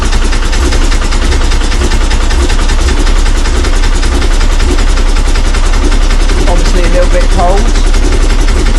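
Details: Late VW bay window (Devon) air-cooled engine after fitting a replacement fuel pump: loud, steady, even idle with one brief throttle press, no misses or knocks, running smoothly though still a little cold.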